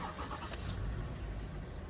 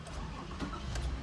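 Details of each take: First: Toyota Sienna that started then died right away, codes P0351-P0356: after unplugging the shorted ignition coil pulling down the shared 5V circuit, quick crank then engine catches and runs steadily with no stalling; new coil still needed. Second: Toyota Sienna, DTCs P0351-P0356: brief crank, engine catches then dies at once; one shorted ignition coil pulled down the shared 5V reference circuit, so no coils fire.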